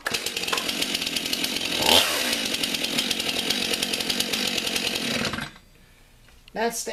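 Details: Stihl MS 291 Farm Boss chainsaw, already warmed up, with a freshly sharpened chain: holds a steady, even high buzz with no stumbling or surging, then cuts off cleanly. Healthy saw.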